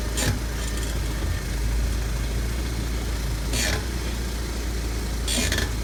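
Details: 2014 Audi A5 2.0T quattro, driver front wheel only: high-pitched scraping bursts after a little driving once the brakes warm up. The dealer replaced the caliper, rotors and pads, but the noise returned a week later; cause unknown.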